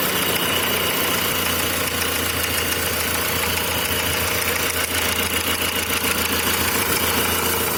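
A cold idle carries a quick, fairly steady knock of about three or four per second; the cause can't be told from sound alone.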